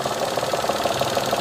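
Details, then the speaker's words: 2012 Mitsubishi Mirage Exceed, 1.2 L three-cylinder, CVT automatic, used-car inspection with the microphone near the AC compressor at idle: even, smooth hum with no growl or whir; compressor bearing normal. "bagian kompresor AC juga halus tidak ada suara bearing jadi mobil Ini untuk suara mesinnya standar normal halus seperti biasa"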